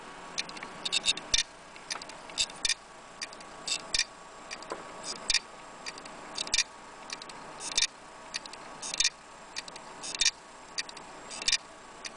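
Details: Laptop hard drive that is not read or detected at all: repeating clusters of sharp ticks about every 1.25 seconds over a faint hum; the classic click of death.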